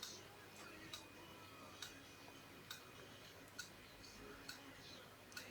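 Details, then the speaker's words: Laptop hard drive, not detected when connected, clicking cyclically about once a second; extra power did not help; heads striking scratched platters. "Как вы можете слышать что-то внутри стучит клацает циклически и наши устройство на ноутбуке не определяется"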